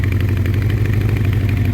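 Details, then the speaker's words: 1984 Honda CB700SC Nighthawk at about half choke, warming but not hot, about 80° ambient, gas smell: steady low lumpy idle with soft puffing from the exhaust; owner suspects rings or carbs not quite right, unconfirmed. "all right about halfway now let's try and rev it up okay so um keep puffing out there a little"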